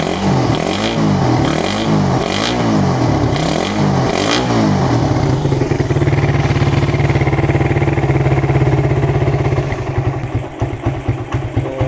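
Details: Suzuki Satria FU with a PWL/PE28 28 mm carburettor, just cleaned and re-jetted (main and pilot jets changed) to cure hesitation when throttled; revs rise and fall about once a second while the air screw is set, then settle to a steady even idle; normal idle.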